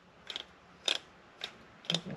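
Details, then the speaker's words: 1974 Dodge Challenger ex-race car, 440, no-start problem: Proform distributor turned by hand gives short sharp scraping clicks, rotor striking cap; unclear whether this or ignition box caused no-start; replaced with genuine Mopar distributor. "you can hear it, but the rotor is hitting the cap. I didn't like that."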